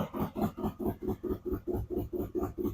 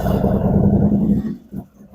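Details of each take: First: 2017 Harley-Davidson Ultra Limited 107 V-twin just fitted with Thundermax ECM and O2 sensors, settling after startup: even, loping idle with steady low thump, no misses, tone improving as it warms up. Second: 2017 Harley-Davidson Ultra Limited 107 after Thundermax EFI install, first start: fires with a lumpy, uneven rumble, then sags and stumbles; rough running as air purges from the fuel line after fuel pump work.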